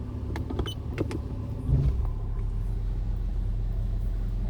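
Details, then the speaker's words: Mercedes W126 V8 on a test drive after a DIY new ignition coil replacement: steady deep drone under load, smooth and even with no stumble or popping; no misfire heard; normal running under load. "I heard no misfire."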